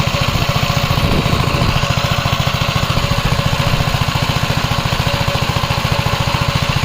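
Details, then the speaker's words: 1961 Gravely L tractor, single-cylinder engine, after replacing a failed governor; steady thump at about 3.5 beats per second holding even speed with no hunting; new governor working properly. "I don't know if you can tell on camera, but I could clearly hear it working."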